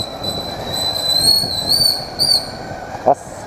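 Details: Motorcycle brake squeal when the brake is applied: a steady high-pitched scream holding almost unchanged for about three seconds; owner plans to take the wheel apart.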